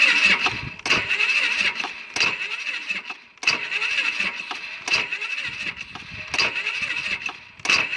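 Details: Polaris Sportsman 500 with 12,000 km, acting up since a rollover, on a good battery that seems to crank slowly: short, uneven starter bursts about once a second, and the engine never catches. Cranks but won't start.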